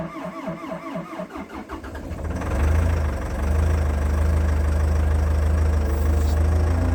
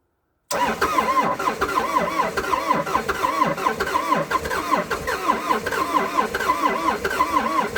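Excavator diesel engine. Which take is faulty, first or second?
second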